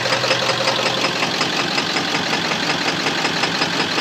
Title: Engine knock 7.3